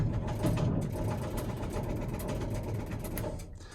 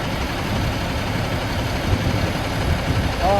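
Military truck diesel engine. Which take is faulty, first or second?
first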